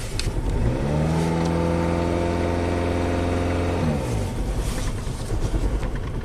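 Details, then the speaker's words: Chevy Cobalt after an interior wiring harness fire, with ECM and BCM replaced: revs up then drops back with an uneven, lumpy beat. It is running rough with a misfire; codes show CKP and throttle position not learned and MAP circuit high. "you hear that misfire, that could be because it's in limp mode."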